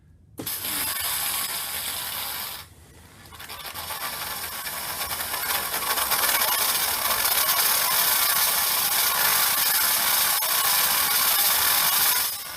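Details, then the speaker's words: Vapor Clean Desiderio Plus steam cleaner with regulator valve opened, steam trigger held: steady steam hiss with fast, even ticking pulses as the continuous-fill pump spurts water into the boiler; normal refill pump operation. "And if you heard that pump is what your continuous fill is for. As the boiler releases more water and more steam, you'll hear the pump action sending in spurts of water into the boiler."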